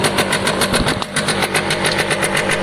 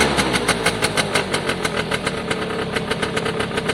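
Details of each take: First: Piaggio Diesis 100cc two-stroke scooter at a ragged idle: rapid sharp puffing ticks about seven a second from exhaust escaping through a small hole in the pipe; another leak heard but not found. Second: Piaggio Diesis 100cc two-stroke scooter running; the oil light flashes although oil is full. Crisp, regular putter, firm and even, with no missing beats or rattles. Normal running.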